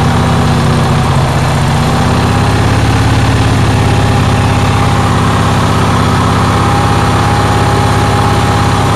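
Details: Onan generator engine on a cold day, running fast and steady with a constant droning tone; idle speed is very high and the cause has not been found.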